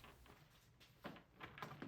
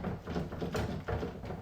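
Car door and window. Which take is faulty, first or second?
second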